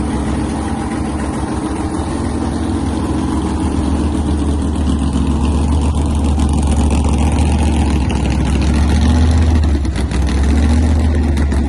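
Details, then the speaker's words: Fully assembled race car on its first ride after rebuild, before a planned reunion race: deep, loud idle with a lumpy, uneven pulse and a brief dip near the end; rough idle. "So, this is the first time when the car was fully assembled that I was able to take it for a ride. Listen closely. You'll understand why we didn't Something wasn't right."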